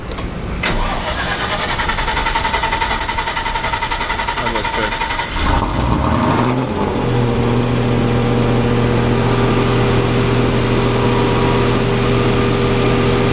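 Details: Generator after repair, started with the fan cage refitted, to run about 20 minutes: brief cranking, then catches and settles into a steady, even hum with no wobble or knock; starts and idles healthy.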